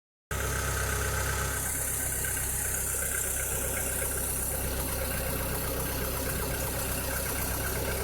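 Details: 2006–2007 VW SpaceFox engine at idle: a steady idle with a busy, rough rattle over the low engine hum; a strange engine noise whose cause is not identified.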